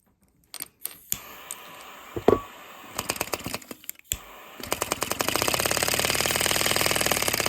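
A few lighter clicks, then a quick, steady chuffing at about four beats a second as the little vacuum engine picks up and runs evenly.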